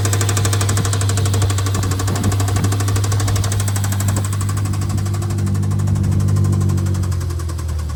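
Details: BMW S63B44 twin-turbo V8 with rod knock: heavy, rapid, deep knocking hammers steadily and low in the block over the running engine.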